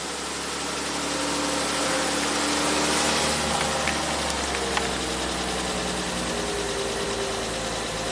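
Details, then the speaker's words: 1967 Triumph GT6 with twin Stromberg carbs, parked since 1999, first run on fresh oil and ethanol-free gas, no choke; smooth even running rising cleanly on throttle blips, no knock or miss, some blue smoke; normal running. "So smooth, it revs up nice. Fresh oil, fresh gas, that's what it needed."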